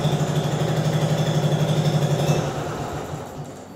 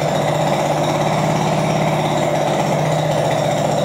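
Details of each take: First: Translucidus MT02 transparent educational Otto-cycle engine running as a demonstration; putters evenly at about four beats a second, then winds down, clean normal run. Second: Translucidus MT02 transparent educational single-cylinder Otto-cycle engine run with the muffler core removed (unbolted with an Allen key); loud, harsh rapid popping bark with a brief dip near the end, typical of open exhaust without a muffler.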